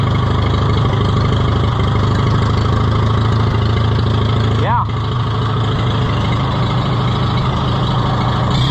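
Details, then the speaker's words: Oliver 66 tractor engine after repairs: a low idle with a slightly uneven, lumpy beat; the owner suspects the carburetor needs cleaning; no leaks seen, and oil pressure is low at idle. "I think my carburetor needs a little cleaning it's not quite quite right but I don't see any leaks that's good the mess I made"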